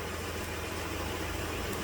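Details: 2010 Dodge Journey 3.5 V6 after fuel injector replacement for misfire and P0206, codes and fuel trims reset: smooth, steady low idle with even hum, no stumble or skip, closed loop switching rich/lean; normal idle.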